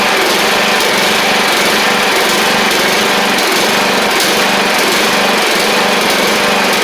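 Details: Troy-Bilt Pony 42X Powermore engine after carb cleaning with WD-40 and carb spray and reinstalling the carb: loud mower engine holds speed with a slightly uneven beat and spat out junk.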